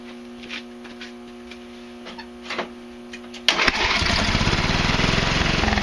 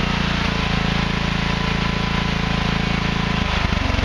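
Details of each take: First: Craftsman Hydromatic with a 15.5 hp Briggs & Stratton OHV engine, crankcase heavily overfilled with oil: it catches and runs about four seconds with an uneven chuff before dying. Rough running from oil overfill. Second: Craftsman Hydromatic with a 15.5 hp Briggs & Stratton OHV engine, after the excess oil was drained to the correct level and the exhaust valve clearance adjusted: a loud, even single-cylinder chug at steady speed with no knocks or misses. It runs normally.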